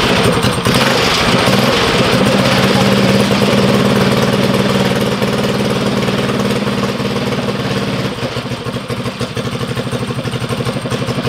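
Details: First break-in start of a Stage 4 Tillotson engine on a drag mini bike, run indoors: loud, crisp single-cylinder idle with even firing pulses and slight speed settle; healthy normal idle.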